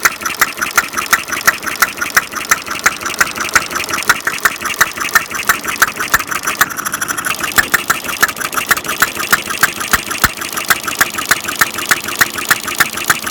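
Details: Half-scale Domestic side-shaft hit-and-miss model engine, hand built from castings, 9-inch flywheels, make-and-break ignition, gravity-fed fuel tank in block, cold day, set to run fairly slow: crisp regular ticking near three beats a second, no knocks; normal hit-and-miss running.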